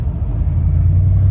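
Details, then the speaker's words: 2001 Toyota Sequoia with about 250,000 miles at half throttle: an uneven, chugging low rumble. Fine at very light throttle. It is a cylinder one misfire with code P0300, fixed by replacing the ignition coil pack. "that's definitely a misfire here it's chugging along"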